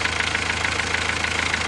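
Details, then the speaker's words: Renault 1.5 dCi diesel idling right after restart following refresh of injectors 3 and 4 (new Delphi valve and nozzle; 3 and 4 had excessive leak-off), still cold: even clatter, steady pulses about seven a second, no miss, knock or tick; no leaks, healthy. "The car is running. So far I can't see leaks. I don't hear any noises."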